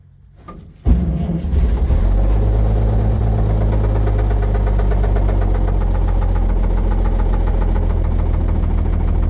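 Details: 1950 Chevrolet 3800 one-ton, Chevy 235 six, sat since 1977, running with Lucas Oil Stabilizer at 60%: rough low idle with dull knock underneath; rod knock not fixed by the additive.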